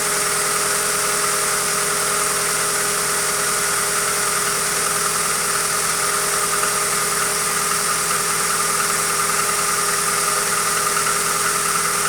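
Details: Hyundai Accent engine at steady idle with a faint, fairly regular tapping knock of about two per second under the engine hum; cause of the knock not identified.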